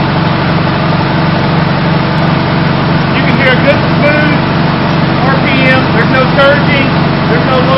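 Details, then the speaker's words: Farmall H tractor after carburetor adjustment, idling around 450 rpm, then revved up: steady low rumble holding even with no surging or stumbling, clear exhaust, no fuel leaking; normal engine acceleration. "I'm going to bring the RPMs up so you can hear it as it"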